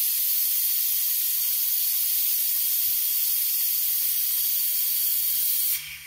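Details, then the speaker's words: Four Uncles air-driven venturi vacuum brake bleeder working normally, lever held: steady high-pitched air hiss with almost no low end, cutting off sharply near the end; a little air passes unless the lever is pulled up. "now the one thing i've noticed about this tool is it does like to have just a little bit of air going through it if this thing isn't like pulled up this lever so you'll hear a little bit"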